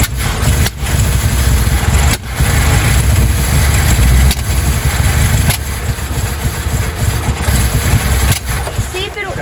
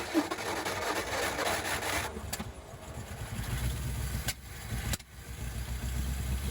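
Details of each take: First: 1956 Ford Fairlane running for the first time in 15 years, with new coil and plugs and intake manifold and carburetor refitted: loud uneven rumble that surges and stumbles and won't idle; owner suspects vacuum leaks. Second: 1956 Ford Fairlane, first start in 15 years, with new coil and refitted intake manifold and carburetor: rough catch, then a low steady rumble with small wobbles; running on its own again.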